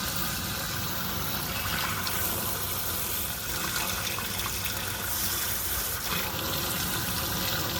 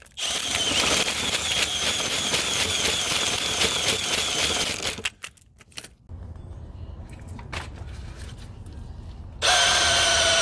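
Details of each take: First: Sewer main that backed up again three weeks after snaking, just cleared: a steady rushing gush of water runs freely with no gurgling or backing up; the drain is flowing normally. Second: Sewer main backed up again three weeks after snaking, full of scale with massive root intrusion in multiple areas: high-speed whirring with rattling chain slap that dips as it bites and recovers while descaling chains cut the roots.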